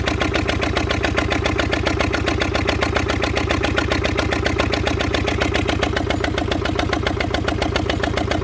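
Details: Fordson Major diesel tractor wreck, previously seized, crank-started, temporary tank feeding injector pump directly bypassing filters, rings possibly stuck: hard, even beat around 146 a minute with plenty of clatter; runs roughly, cause unconfirmed.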